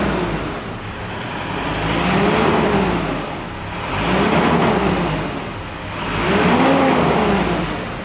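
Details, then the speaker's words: Mitsubishi Pajero that overheats at high speed and blew its valve cover gasket again soon after replacement, revved three times. A howl swells at 2000 rpm and vanishes at 3000–4000 rpm; cooling fan howl, slipping fan suspected. "Nah terdengar ya suara kipas seperti seperti aungan pada saat 2000 nah terdengar nah terdengar suara kipas ya teman-teman seperti itu"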